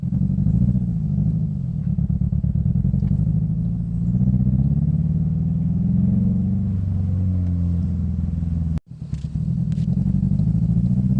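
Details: 2005 Scion xB, 135,000 miles: low, uneven idle that chuffs and stumbles like a two-stroke, a misfire traced to a failed coil pack, confirmed by swapping the bad coil to another cylinder.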